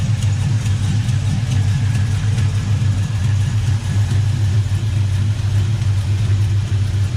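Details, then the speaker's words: '95 Chevy 1500 freshly LS-swapped to a 5.3 V8 from a 2001 Tahoe, NV3500 5-speed, in neutral: deep steady V8 burble, even low rumble, no knocks or misses; healthy idle. "We'll crank it up and let you see how All turned out."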